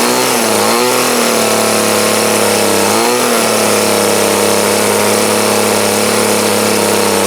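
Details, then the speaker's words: 2008 Troy Bilt TB20CS 31cc two-stroke trimmer after carb adjustment with the D-size tool, restarted; high steady buzz dips briefly twice then holds even, thunder audible: running good, still needs slight tweaking. "So now, with that, it still needs tweaked just a little bit, but she's running good, so now it's a win."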